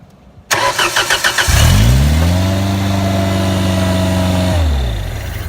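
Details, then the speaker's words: Genie Z45/22 lift with Ford LRG-423 engine and distributorless ignition (DIS) jumped with power: it cranks, catches, runs about three seconds, then dies unless a button is held, so something is cutting it off; a switch is to be fitted. "Shuts down. However, hey Mike, hit that button once it starts."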